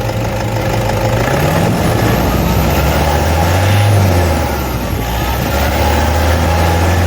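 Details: Toyota D4D diesel idling with a brief rev, steady even rumble, no squeal or chatter from the belt drive; normal idle.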